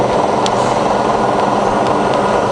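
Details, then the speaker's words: Fully rebuilt Bridgeport milling machine, spindle at about 1000–1200 rpm with quill power feed engaged, tested at all three feed rates: steady, even hum with smooth feed drive, no grinding, knocking or gear chatter; all working fine. "so for every spindle speed you got three different feed rates so that's the highest that's the slowest and that's the medium you see they're all working fine"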